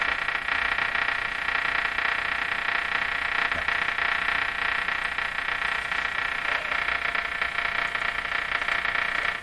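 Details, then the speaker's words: Canadian Westinghouse Model 684 radio on the shortwave band after a good alignment: only a steady crackling hiss with fast ticking pulses and no station. Output on SW is very low; the owner is unsure the local oscillator is oscillating. "Could be there's something there, we can't hear it over the noise."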